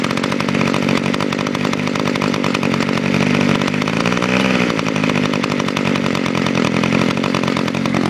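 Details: Kawasaki KHT600S hedge trimmer with TH23 two-stroke engine, started on auto choke: steady, even high-revving buzz with no misses or surging, somewhat smoky; running healthy.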